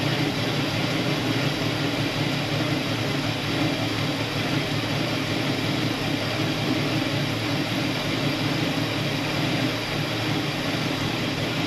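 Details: 1974 Buick Apollo with Buick 350 V8, performer intake, after sitting a long time: rough lumpy idle with a faint uneven beat after start; slight misfire.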